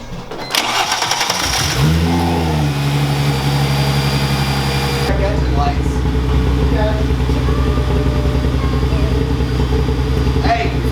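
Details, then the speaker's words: Chrysler Crossfire just after an upgraded 74mm throttle body install, with the MAF sensor accidentally left unplugged: cranks, catches and settles into a lumpy, shaky, stumbling idle. "we forgot to plug in the math sensor so now time make sure uh make sure everything is plugged in"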